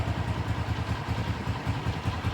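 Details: Honda CG 125 at idle after worn tappet rods were replaced to cure a tik-tik engine noise (cam and piston work was not needed): steady single-cylinder idle with even firing pulses and no top-end tapping; normal idle.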